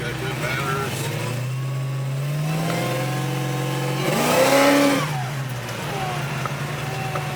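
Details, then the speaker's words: 1971 Chevelle convertible with new LT4 V8 with cam, small 1.7-litre supercharger and pulley kit, over the stock 650 hp: high whine climbs with revs and falls at idle; normal supercharger whine. "You hear that whine in this one, but These blowers, they turn so damn fast, man, because it's a small blower. It's a 1.7 liter blower."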